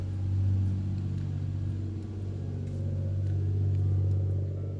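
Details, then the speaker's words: Toyota Supra 2JZ six-cylinder after coolant flush, warming toward operating temperature with heater on full and AFRs good: deep, even, loud rumble, no knocks or misses. Small leak suspected at a hose at back of block. Normal idle. "It sounds good, at least. Just kind of, you gotta fix these little issues and we'll be good to go."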